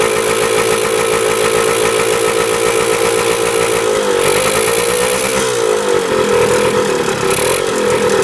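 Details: 1977 Kawasaki KE100 two-stroke enduro, first run after 10 years parked: revs and sags unevenly, won't hold idle even with throttle stop fully in; air screw turned in helped, owner suspects gas cap not venting properly.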